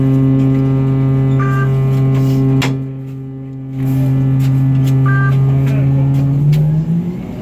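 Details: TTC Orion VII NG diesel-electric hybrid bus: loud steady low weird buzz with a strong even drone; abnormal electrical-type buzz of unknown cause.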